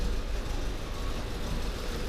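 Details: Volvo S40 engine at idle: lumpy, uneven running with irregular coughs and dips; misfire from a faulty air flow (MAF) sensor with fault codes, lambda codes and an intake air leak.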